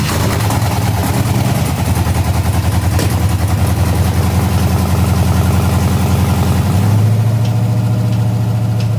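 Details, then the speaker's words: 1978 Chevrolet El Camino LS-swapped V8 on open headers, first start after fuel system work: loud, lumpy idle with uneven thumps and occasional sharp pops, a backfire; owner thinks it is running a little rich and needs fuel pulled out. "kind of loud there sounds like we have a little bit of a backfire going on i don't know what's going on with that that was spicy looks like we got to pull some of the fuel out of there around a little rich"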